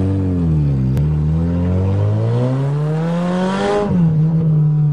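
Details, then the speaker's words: Toyota GTS after tune-up with used BMW spark plugs to cure misfiring, test drive: revs up cleanly, drops back and settles; pulls evenly, slightly rough, running fine now. "just an ordinary jedi battery starts this beast lots of fun drive limiter screams like a gsxr"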